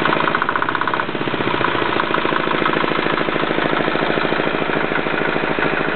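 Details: Yanclone Suntom 186CF 406cc single-cylinder diesel in a Royal Enfield, second test run after rebuild (injector, fuel line, head and crankcase gaskets replaced, valves decoked): steady, even idle clatter at about 160 beats a minute with no misses or knocks; healthy idle.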